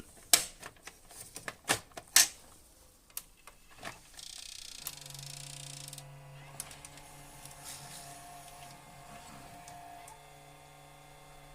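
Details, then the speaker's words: Panasonic HD100 VCR, after gear timing fix and a broken plastic part replaced: sharp clicks, then the loading motor whirs on without finishing; the tape jams because the cassette housing is missing a pin part that lifts the lid. "现在通电试机，发现仍然不能够正常工作，到这里下不去，带子卡在这里，出不来也下不去"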